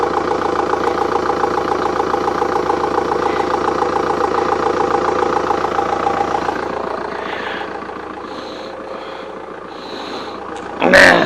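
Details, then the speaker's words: VW Golf GT TDI diesel, off the road since January 2020 after a burst radiator, started quicker than expected: steady, even diesel clatter at idle with no misses or knocks; engine sounds healthy. "well it started a lot quicker than i thought it would this car has been setting up since 2000 and 20."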